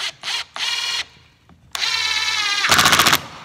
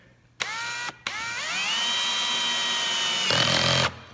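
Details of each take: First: Impact driver driving screws into a joinery project: bursts of fast, sharp rattling clicks as resistance builds, with hard hammering near the end. This is normal impact action. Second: Drill driving a screw with the clutch at setting 30: motor whine spins up and holds, then rapid rattling clicking as the clutch slips; setting could be raised, later tried at 50.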